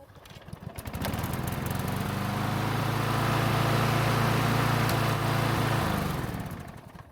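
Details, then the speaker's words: Snapper mower engine warm after about 5 minutes of running, after overdue maintenance: a quick pull fires it at once and it holds a steady, even drone for several seconds; normal hot restart. "Luckily it started back up without much hassle, although the cold start could have been a little bit better."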